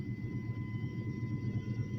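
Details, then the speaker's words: Chevy S10 with 5.7 350 V8, sat six years, fuel pump, plugs, distributor cap, rotor, fuel filter replaced: rough, spitting, sputtering misfire even at full throttle, dies off gas; owner unsure if no spark or injector. "the next day it barely ruins that's with the gas all the way to the floor [Music] just spitting sputtering missing i don't know if it's no spark or injector"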